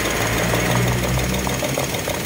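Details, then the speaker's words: Toyota Wigo with check engine light and cylinder 2 injector circuit code, spark plug already replaced: uneven, lumpy idle with irregular stumble and exhaust shake; dead cylinder getting no fuel because the injector wire is broken, to be spliced. "titingnan natin yung injector yan dahil kadalasan nito ah napuputol yung wire dito yan guys so positive putol nga yung wire"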